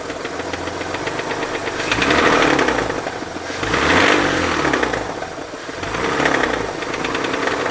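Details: Mazda RX-8 Renesis rotary engine knocking at idle and on three throttle blips, rapid sharp knock over the exhaust note; owner believes it is not the SSV and suspects the rear of the engine or the clutch, unconfirmed.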